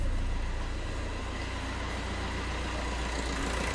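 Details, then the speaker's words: Fiat Punto 3 diesel, after injector seal replacement, post-repair start: steady even idle with smooth low rumble, no puffing or ticking from the injectors, high-pressure return noise gone; normal idle. "donc là effectivement il n'y a pas photo entre le bruit avant l'intervention puis maintenant donc là on a un bris lui stable propre et plus de bruit de brut pression retour"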